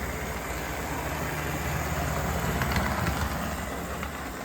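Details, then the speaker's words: Proto 2000 model locomotive: steady whirring hum with gritty rasp, noisier than expected though runs fine; owner suspects it needs cleaning, lube and running in. "still runs perfectly nice but it shouldn't be that noisy I don't think I mean it's not like Mega noisy I don't need earplugs but I thought to 2000s were generally very quiet"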